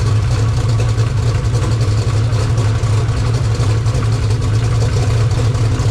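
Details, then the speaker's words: 2000 HP Mod Motor V8 race engine, started to warm to about 140 degrees: deep, steady rumble with even firing, no knocks, ticks or misses; normal idle. "Oh, there it goes. We're good. Oh, she starts, Josh. Yeah, boy. Sounds good too."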